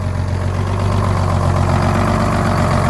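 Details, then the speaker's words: Diesel truck with good batteries and an added muffler, cold start: starts right up and settles into a deep, even idle, no misses or knocks; healthy engine. "basically started right up"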